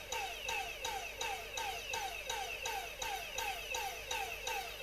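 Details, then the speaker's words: Dyson cordless vacuum motor fed from a bench power supply and drawing only about 200 mA: quiet whirr surging about three times a second that never reaches full speed; owner suspects the motor controller, with the BMS also questioned. "the motor controller is doing something but it's um it's modulating so it could be the controller that's faulty"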